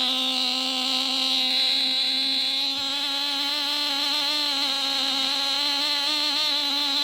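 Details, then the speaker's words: Nitro glow engine swapped into a Losi Mini-B RC buggy, mounted on its side, first run after priming and glow igniter, before break-in heat cycles: high buzzing whine wavering slightly at fairly steady speed; running clean and healthy. "well that sounds fantastic cool i'm gonna go through a couple of uh heat you know heat cycles break in"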